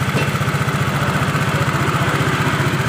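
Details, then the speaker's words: Honda Vario Techno 110 carburetted scooter after carburetor cleaning and air filter check, fixing misfire at high revs: steady, regular single-cylinder idle beat with no stumbles or hunting; pull-away more responsive; normal idle. "normal kembali ke tarikannya juga lebih responsif guys"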